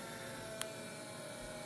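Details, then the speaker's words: 1984 Kawasaki GPX750 Turbo with an electrical fault (no lights, starter solenoid only clicks, no start): after a single click with the key on, a faint steady electric hum as the fuel pump primes normally in a quiet room. "you can hear the fuel pump kicking in."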